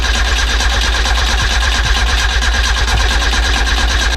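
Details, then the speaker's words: Nissan B13 Sentra with freshly rebuilt GA16DE, ignition and distributor disconnected: even, rapid starter churn about three beats a second with no firing; priming fuel and oil before first start. "I went ahead and disconnect the ignition and distributor because I want to prime the whole system with fuel and oil so when I say are gonna crank it a couple times make sure it's no leaks"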